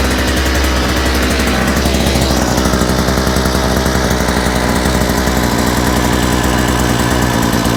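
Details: Small engine with a new carburetor, after correcting reversed fuel pickups and removing a kink in the fuel line, holds a steady, even beat at constant speed with no surging, missing or sputter; normal running.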